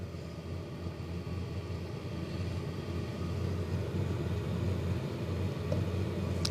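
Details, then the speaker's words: Chinese diesel heater, first working start: soft steady burner rumble with faint even pump tick about four a second, fans speeding up, ignition underway, still blowing cold air, no smoke; running normally. "still cold air coming out right now and if you can hear that that's ignition it'll take a while for that heatsink those fins on that outside of that burn chamber to heat up to put out some air"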